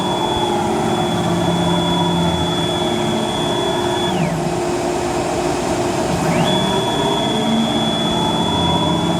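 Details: Techno CNC HD-II router moving the gantry in Y: steady rough rumble apparently from the ball nut/lead screw, worst near center but present over most of the travel, with a high motor tone dropping away and returning; suspected worn ball-screw bearing or nut.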